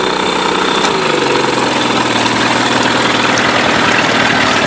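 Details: Mercury 8HP outboard, sat unused for an unknown time, running in a water tub on its first test start; an even beat whose pitch drops briefly as it shifts, then settles and runs cleanly; normal running.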